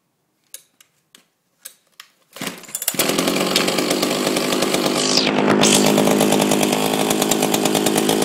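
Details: Old Oregon chainsaw with Chinese engine, chain removed, low fuel being run dry for storage: few pull-cord rasps, then catches and settles into a crisp idle with one clean rev; runs well.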